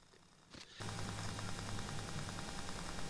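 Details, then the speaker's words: ATOTO F7G2A7WE car stereo on bench power via switch and 15 amp fuse, mic moved near speaker: after power-up a constant low hum with pulsing buzz about four per second, noise changing once Bluetooth connects; interference of unknown cause. "speaker now if my calculations are correct you would have heard the noise and you would have heard the noise change once Bluetooth connected"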